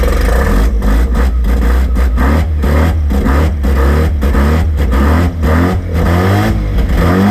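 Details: Rotary-engined van on first start after rebuild, starting off the key: loud, buzzy rotary blipping up and down with revs rising and falling cleanly, fires and revs normally, though a belt was melting.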